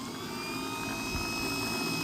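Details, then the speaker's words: 1970s VW sand rail, stock 1200cc engine, starter jumped directly: steady high whine of a freewheeling starter with no cranking rhythm; starter motor spins but does not engage the engine. "The starter motor is spinning, but it's not engaging with the engine."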